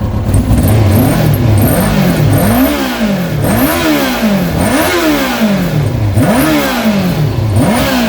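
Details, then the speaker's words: Kawasaki ZX-6R after 10 years unused, carbs cleaned, direct fuel line tank to filter, airbox off, slightly smoky but clearing after a couple of minutes running: crisp inline-four blipped up and down cleanly with no knocks; normal revving. "It's a little bit smoky, but it's cleaning up as it's running. I mean, bear in mind I've not got the fuel system as it should be at the moment. I've only got it with a direct line from the tank to the filter, but it does sound good."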